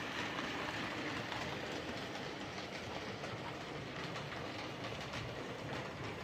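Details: Hornby 08 Shunter model locomotive on the layout after bending the coupling rods so they clear the brakes, curing a clicking noise: even, quiet running with only light rail-joint clicks and no repeating rod tick; runs smoothly.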